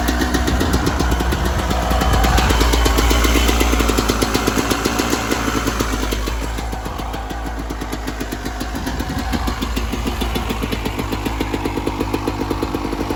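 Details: 1996 Yamaha YZ250 two-stroke after carb tune-up for rough low-end idle (pilot jet suspected; top end fine): steady crisp even idle, about four pops a second, no stumbling, just warming up, cold day about 13 degrees; healthy idle.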